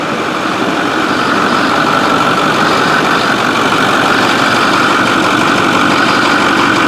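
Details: 6.4 diesel truck after turbo repair. It settles into a steady, loud idle with an even clatter and no misses or knocks. It runs healthy, though oil ran out of the resonator overnight.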